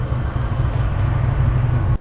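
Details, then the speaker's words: '73–'77 GM A-Body V8 being timed at about 38 degrees total: a deep, steady rumble held evenly under a blip with no misses or rattles. Running cleanly and judged to sound awesome. "yeah yeah sounds real good right yeah sounds awesome"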